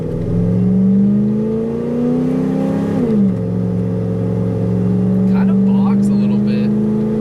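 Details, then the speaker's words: OBS Ford F250 with 460 EFI V8, mud tires, timing verified at 10 degrees, after throttle body kit, 0–60 run: exhaust note sags after 1–2 and 2–3 upshifts; power drops, owner suspects running lean. "if you listen to the video in the before and after runs and the tone of the exhaust you can hear that it lays over after the one two shift and the two three shift"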